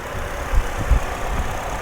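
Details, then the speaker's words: Well-maintained car with an Ecotec engine and no check engine lights: low, steady idle hum with an even beat and no knock or miss; it runs good and quiet, with no blow-by. "Runs good, it's quiet."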